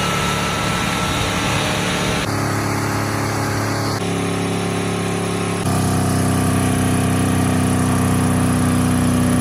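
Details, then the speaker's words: 1979 Ford truck engine, deliberately held at high revs with coolant spraying out for minutes: a harsh, strained scream with sudden pitch steps until it seizes and goes hot. "it seized up that was it oh that was it oh that's hot that's hot"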